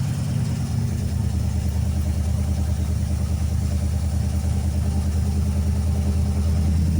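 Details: 1988 Ford Ranger with swapped 302 V8 and electric fuel pump, first start after replacing overheating coolant-burning engine: deep steady burble at idle, even firing, no knocks or misses; healthy.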